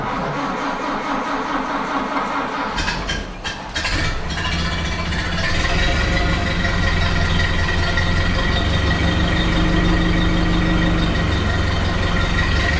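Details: 1929 Ford Model A after installing a cleaned oil pan, rope seal and oil filter: starter grinds briefly, then the engine settles into a steady low, even idle without stumbling; idling really well.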